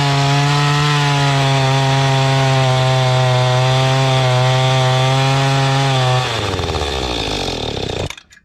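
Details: Mantis tiller two-stroke bought at an estate sale, after the high-speed carburetor screw was turned out richer: high, steady buzz holding even revs with no surging or sputter, then winding down; running clean.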